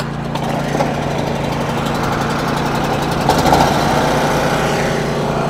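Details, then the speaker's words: Champion 3600 W (owner believes) generator, unused for quite a while, started with fuel on and choke on; it hums at a constant steady speed with no misses or surging, running normally. "right that one started"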